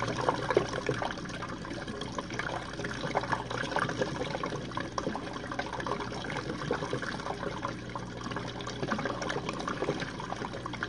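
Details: Jenn-Air dishwasher on Quick Wash cycle with no heat dry, one Cascade pod; final drain after last rinse: even rushing, trickling water over a soft pump hum, no grinding or stalls. Normal drain.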